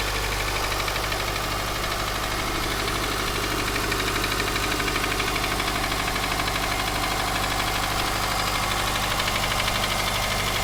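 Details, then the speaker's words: Subaru Forester SG5 EJ203 SOHC 140 hp naturally aspirated, cold start: steady even knock about three beats a second over idle, louder left/center from front, fades after 3-4 minutes warm-up and inaudible when warm under throttle; cold-start engine knock. "Из-за того, что она холодная. О, видишь, он начинает пропадать уже."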